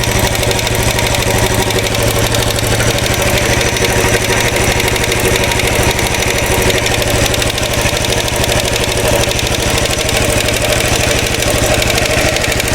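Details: 2013 Royal Enfield Classic 500 single, rebuilt after teardown for stray M5x35 bolts: decompressor noise gone, steady idle with a fast metallic rattle over every firing pulse; oil level okay, owner listening with a screwdriver stethoscope and planning to check tappets and rockers.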